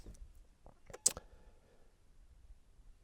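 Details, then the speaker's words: GB150 jump starter connected to a weak battery reading 10.8 volts gives two or three sharp dry clicks. Its relay engages normally while the display alternates. "negative terminal and then to the positive terminal and I just heard the gb150 click"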